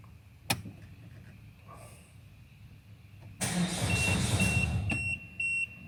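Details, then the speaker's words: Peugeot 5008 1.6 HDi diesel, arrived on recovery truck, clutch depressed; starter turns engine at even steady rhythm about two seconds, never fires: crank no-start, diagnosis pending. "got dropped off on a recovery truck or gr as we call them out here and it's a no start it a crank but it won't start"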